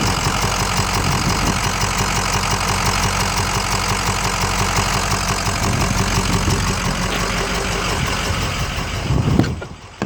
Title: 6.0 powerstroke clicking noise